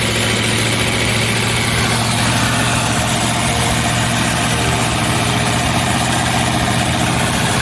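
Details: Start-up to check exhaust leaks: steady idle buried under a harsh, hissy rasp, louder than a sealed exhaust should be; probably leaking somewhere.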